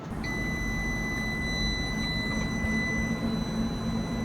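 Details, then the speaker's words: UPS giving a piercing, unbroken high-pitched overload alarm seconds into gaming on a PC with a newly installed GPU, over low room rumble; overloaded by the PC's power spikes. "after just a few seconds of playing I got this crazy beep"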